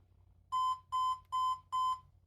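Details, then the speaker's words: HP ProDesk 600 G3 Mini fitted with a non-T CPU: four short clear 1 kHz beeps, the short part of a 3-long-4-short code listed as power supply error; likely CPU incompatibility suspected, not confirmed. "Well, that's 3 beeps, 3 long followed by 4 short. Now, interesting, I'm looking up 3 long, 4 short, and it's talking about power supply."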